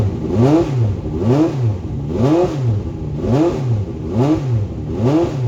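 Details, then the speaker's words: Late-1980s IMSA GTO Gen 3 Camaro race car, first start in the workshop with both fuel pumps on and fuel pressure up: engine swells and drops in even blips, firing cleanly with no knocks or misses; sounds like good compression, healthy. "That is That's good. a good sign, you know? It sounds like compression. It does, yeah."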